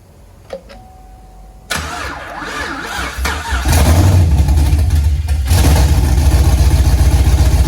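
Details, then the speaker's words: 5th-gen Camaro V8, parked 2 years with a broken piston, now on its first start-up after piston replacement, DOD/AFM delete and Texas Speed 224R cam, no oil filter fitted yet, checking for leaks: cranks, catches, then a steady, even idle with no knocks; normal. "so we haven't put the filter on yet we're just gonna turn it on and see if we see any leaks go for it"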